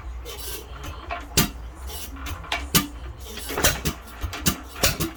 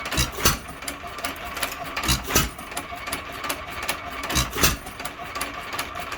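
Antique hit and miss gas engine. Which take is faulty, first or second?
first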